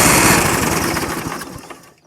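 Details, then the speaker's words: Dixon mower that sat about a decade in the woods with old gas, started on starting fluid: it catches, pops along evenly for a second or two with no knocking, then fades and dies. "okay wow that's pretty good so obviously i didn't hear any knocks or anything but i'll try that one more time before i go any further with it"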